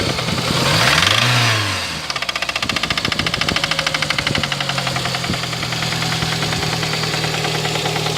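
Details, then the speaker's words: Lada Kalina engine before repair: after a rev it drops to idle with a sharp, regular metallic knocking at roughly three per second, clear above the idle. Engine knock. "Так, вот так вот мы работаем. Вот такое стучание у нас."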